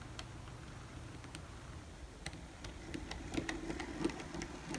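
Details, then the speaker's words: N scale Bachmann Plus F7 locomotive with cracked gears, track test: faint motor whir with sharp irregular ticks once or twice a second; cracked drive gears, motor and worm gears fine. "so that's what you get with a set of broken"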